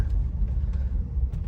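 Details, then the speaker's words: Toyota 100-Series Land Cruiser V8 driving after a welded exhaust-leak repair: deep, even rumble with no rattles or knocks from the pipe, which doesn't hit the chassis. The exhaust is sealed and properly mounted. "No rattles. The pipe doesn't hit the chassis anywhere. It's the perfect amount of uh rumble in the car. Not too loud."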